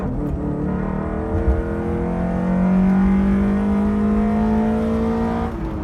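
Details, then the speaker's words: Honda K24Z3 K-series engine on drive after valve adjustment and warm-up: smooth note climbing steadily under throttle over road noise, no ticking or knocking; pulls cleanly, healthy. "Alright guys, let's go for a little cruise. Everything's running good right now."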